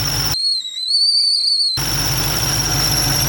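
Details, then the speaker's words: Supercharged Mustang GT on E85 with new tune: thin, high whistle over the running engine, climbing slightly under pressure; owner suspects idler pulley, possibly water-affected, not confirmed. "That does not sound too good. But it's probably one of the pulleys, just like maybe the water kind of messed it up a little bit."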